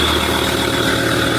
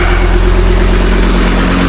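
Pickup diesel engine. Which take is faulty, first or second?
first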